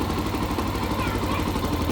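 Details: Yamaha FZ-S motorcycle idling: uneven scraping rattle over exhaust beat, sound changes with throttle; mechanics might blame a bearing, but cause is lighting coil behind magnet cover, fixed without opening engine.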